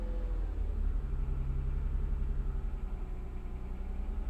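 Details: Toyota 2GR-FE engine at 1400 rpm: deep steady rumble with a faint, fairly even knock underneath, about four a second; source of the knock unknown.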